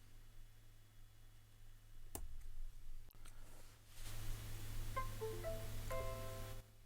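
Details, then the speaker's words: Windows 10 PC with a bare USB demo board whose D+ pull-up was just enabled, with no USB electronics: a low hum with clicks, a rising two-chime insertion tone, then a short falling error chime. Device Manager shows "Device Descriptor Request Failed". "you get the usual USB insertion tone, Windows 10 in my case, followed by an error."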